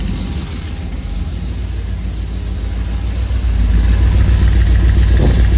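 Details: Engine with a newly hidden turbo kit, first start after the turbo oil fitting was swapped: a deep, lumpy, loping idle with a rough shake. It misfires on four cylinders because half the spark plug wires were left unplugged.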